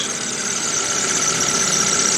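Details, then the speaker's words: 2013 Chevrolet Spark just after replacing the coils and spark plugs and clearing the check engine light, idling under the hood. Steady high-pitched squeak over a smooth idle, a belt squeal. The engine itself runs without missing or skipping. "then I'll start it up it's running got some squeaking"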